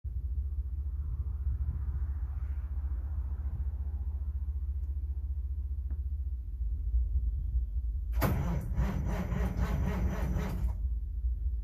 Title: 3406b cold cranking no start!